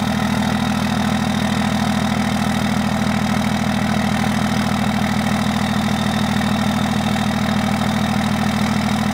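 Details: 2002 Dodge Ram 2500HO Cummins 24-valve diesel started on a cold day after a couple of tries, settling into a steady, even 3-cylinder high idle with no misses; normal cold warm-up.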